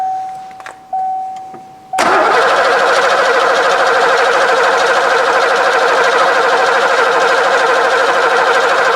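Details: 1990 Ford Mustang GT 5.0 V8 manual, barn find laid up about 30 years (mileage given as 16,000 or 29,000), fuel line just purged: chime, then steady cranking about three pulses a second, no firing; cranks, no start; spark unchecked.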